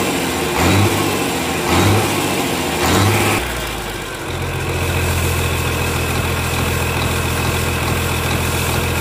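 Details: Komatsu S6D125 diesel test run after general overhaul (crankshaft, liners, pistons, conrods, bearings renewed; turbo, pump, nozzles serviced): three throttle blips then steady, even low drone, no knocks or misses; healthy.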